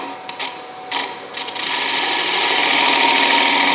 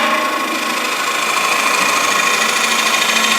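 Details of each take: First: Light final gouge cut on a spalted, dried bowl on the lathe, with the edge freshly honed and the tool fed slowly: a steady, even hiss with no chatter or catches. A clean, quiet cut. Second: Finish-turning a dried bowl: a hissing gouge cut turns into a steady high singing buzz, harmonic chatter from the tool overhanging the tool rest too far. Fixed by lightening the cut and moving the rest closer.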